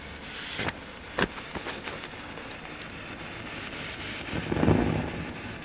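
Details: Fender Twin Reverb reissue tube amp idling: hiss with sharp random crackles and a low rumble that builds up then fades, an intermittent fault that comes and goes with a thump on the cabinet; later revalved, rebiased and pots serviced.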